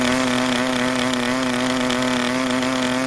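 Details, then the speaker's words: New PAW 40 model diesel on first break-in run, break-in fuel mix, 12x5 prop, clamp mount: starts easily but holds a steady, fairly low buzzing drone that never clears into a crisp high note; running rich and undercompressed. "rich and undercompressed again it started almost immediately it was a real easy start"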